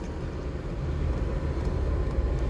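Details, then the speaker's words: 12/24/220-volt Webasto-type parking heater newly installed in a Dacia Dokker, started with a little smoke smell. A low, steady rumble of fan and combustion, even and unbroken, with no knocks or surging. The heater runs normally. "Şimdi arkadaşlar çalıştırdım uzaktan kumandası da var bak biraz duman duman kokumuzu Evet çalışma başarılı bakın bir de konuşuyor"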